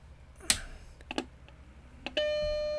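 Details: BlueSCSI sent in for a fault, powered on through a USB SCSI to DB25 to DB50 adapter chain. A few light clicks, then one high-pitched beep of under a second while the light glows red, the same fault behaviour as before; cause uncertain.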